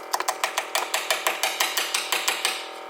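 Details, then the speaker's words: 500hp turbo SOHC D16 Honda Civic: sharp uneven ticking about three per second as the boost control solenoid rapidly cycles its duty because a faulty MAP sensor reads too much pressure. "so you could hear the boost solenoid down there and what that's doing is like cycling the duty cycle because it sees too much pressure"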